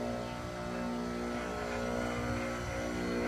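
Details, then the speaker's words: Enco tool grinder with newly fitted machined diamond wheels, test run: steady constant-pitch hum, no throb or rattle, no ripple on water cup; well balanced. "That is the smoothest running grinder I've ever seen. I'm not kidding."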